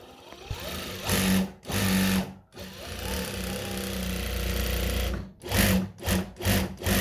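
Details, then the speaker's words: Noisy, loose treadle sewing machine after tightening; several short runs with a clean, steady whir rising and falling with the treadle, no growl or rattle; runs smoothly. "Nah ini udah nggak ada yang ngorok-ngorok."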